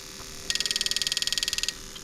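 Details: Bench test of a 1995-96 LS400 1UZ-FE to IS200 plug-and-play harness, firing each injector in turn on a crank signal: a crisp, even train of fast ticks, about twenty per second; the injector is pulsing normally.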